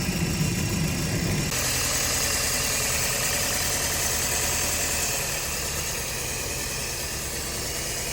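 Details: Car engine idling with a rough, uneven pulse of about four thumps a second: engine misfire at idle.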